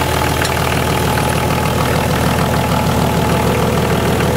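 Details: BMW/VM D190 marine diesel at first start after a rebuild following a broken valve, with a VM 2.4 liner, piston and head, idles with uneven lumpy beats about three a second that never settle; air in fuel from leaking injection pump front seal.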